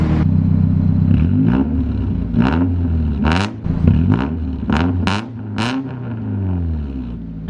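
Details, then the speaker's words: Car with weak battery, warm after running: uneven revs with a loose metallic clatter surfacing over the engine note; owner says the timing chain rattles once the oil warms and loosens it up. "Oh, there's that chain rattle again. Yeah. Yeah, I feel like as soon as the oil gets warm, it like loosens itself up and starts rattling."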